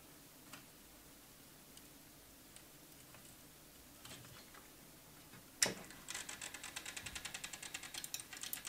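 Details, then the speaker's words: 40-year-old TRS-80 CGP-115 pen plotter (ALPS mechanism) after repair attempts: a sharp clunk, then quick, even stepping chatter as the head carriage travels. The head moves normally, but the pen solenoid is not working. "so this head is now moving fine however the solenoid is not working"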